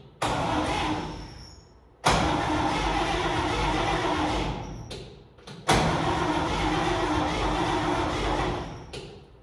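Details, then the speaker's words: Vintage International Harvester truck that sat in northern Minnesota woods since 1997, cranked; steady starter churning, engine turns over but never fires: crank no start. "I mean the cap was just sitting there that's why it wasn't firing in the first place or I'm assuming"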